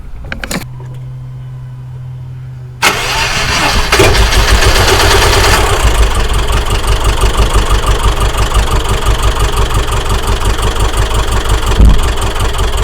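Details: Subaru Outback EJ engine after timing belt failure (DNJ parts, collapsed tensioner), refitted with used belt and WRX tensioner: cranks, catches, idles lumpy and uneven, stumbling about three beats per second; intake valves hit, both heads likely damaged.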